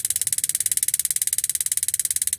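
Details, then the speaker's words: Modena magnet-type gas water heater, main switch bypassed so only the magnet switch triggers the igniter: rapid, even ticking at about fourteen snaps a second with no gaps; igniter sparks, so the magnet switch is normal. "Nah, sekarang ini kita pasang di sini apakah hidup? Karena ini sudah tidak memakai saklar ya. Bypass hanya mengandalkan ini magnet switch. Kalau hidup berarti magnet suit-nya normal."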